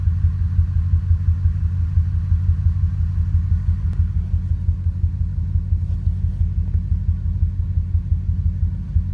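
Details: Ford 5.4 2V V8 truck, three-month intermittent bank 2 misfire, coil pack replaced and injector cleaner run, no codes; deep idle pulsing unevenly with occasional stumbles, shaking worse in drive, rough idle likely from an intermittent misfire.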